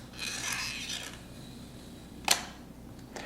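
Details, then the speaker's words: Nikon FE film camera rewinding a roll: soft rasping wind, then a sharp click as the film leaves the take-up spool, signalling the rewind is nearly done; normal. "clicking sound which you can generally hear some version of outside of the camera lets you know you're near the end of your rewinding process"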